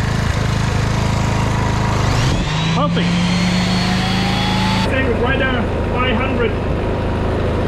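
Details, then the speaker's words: Petrol generator from a job site, powering a 2000 W heat gun at about 1700 W and 7.2 A: the engine drone rises in pitch as the load comes on, then holds steady without hunting or surging. Normal running under load. "so even though i'll put say a 1700 watts and i'm 7.2 ampere so it's looking good"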